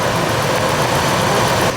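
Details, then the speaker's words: 2000 Ford Expedition 4.6 after timing chain rattle repair: even, steady idle with no chain slap or rattle over the hum; engine sounds smooth and healthy. "now that's what a engine should sound like listen how smooth that sounds"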